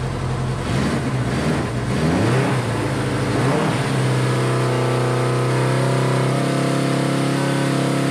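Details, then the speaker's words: Honda CB500 four-cylinder running on all four after choke start; a few revs then a steady fast idle near 2000 rpm, no clear knock; idle too high, cause unknown. "all right that's a little high maybe 2 000 a little over i'm gonna let it run for about five minutes"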